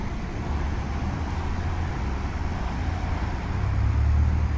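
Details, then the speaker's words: 2006 BMW 530xi 3.0L AWD, air suspension unfixed for two months, code 5F97 EHC compressor relay; compressor commanded on via scan tool, low steady motor drone swelling slightly as the car lifts; normal compressor operation. "i don't know how long this compressor can run for but look at that we figured it out"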